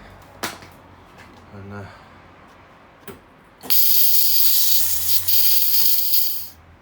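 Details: Small welder after cleaning, stripping down and fitting a fresh end on the chewed-up gun lead: after a few taps, a steady crisp frying hiss holds about three seconds without sputtering; normal welding arc.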